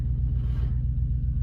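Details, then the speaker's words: Ford Falcon factory manual station wagon, long-stored farm car with no fuel pump, spark or ignition sorted, cranking on jumper leads from a running vehicle: deep, laboured, uneven slow cranking without firing; owner suspects a tired starter or insufficient power. "it's winding over slowly makes me think either the start is tired or we just don't enough have enough power which I'm assuming is a power thing"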